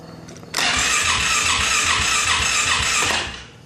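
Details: Polaris Sportsman 570: starter whirs with a steady rhythmic chug, about two and a half beats a second, for under three seconds, then stops; the engine never catches, crank no start.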